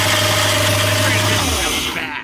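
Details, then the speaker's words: MasterCraft boat inboard engine, sat for years, running after the ECM was tricked with a 12 V signal in place of the ICM: strong, even drone with a steady low beat, then shuts down cleanly; engine runs good, normal. "Engine runs good though. It sounds great."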